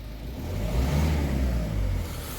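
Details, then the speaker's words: Ford Focus diesel after refitting two injectors with new copper gaskets, short rev showing uneven stumbling beat at low rpm, fine higher up; misfire around 1,500 rpm, suspected sticking injector needles, unconfirmed. "Yeah, up the rev engine, it's okay. It's just that initial miss at that low RPM."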